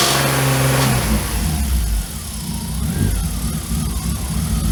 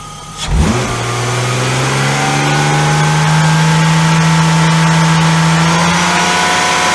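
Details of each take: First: BMW E34 with freshly rebuilt S52 engine and aftermarket 280 camshafts: uneven clattery ticking over the idle and blips, coming from the cams rather than the bottom end; valvetrain noise persisted without accessory belts and with changed cam timing. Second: BMW E34 with S52 engine swap, after fitting different camshafts, mic placed near the engine: smooth steady hum climbs, holds and settles with only light even valvetrain tick, no knocks; healthy S52 with normal valvetrain noise.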